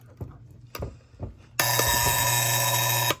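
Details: Sunbeam electric pendulum clock before servicing, making a soft rumble: alarm bell rings steady and even for about a second and a half, then stops cleanly; alarm mechanism working.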